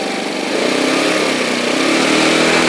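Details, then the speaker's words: X-Pro X20 scooter after fixing a factory-blocked fuel pump air line: buzzy, fairly quick steady idle without stumbling, set higher than spec because lower it wants to stall; runs fine, idle slightly high. "the idol might be a little high but i don't know i think i get the feeling i'd rather it be high idle than conk out"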